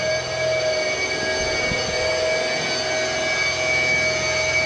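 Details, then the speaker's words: Douglas A-26 under restoration at Chino, CA: a steady, even whine from the purely electric flap motor with no grinding, and operation is normal. "Yeah, so you can hear the electric motor running. Those are actually fairly slow, but yeah."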